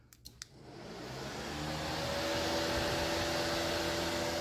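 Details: 1998 C5 Corvette with a newly installed high-speed radiator fan, wired and grounded, being tested. A few relay clicks, then smooth rushing air that spins up and holds a steady hum; the fan works properly.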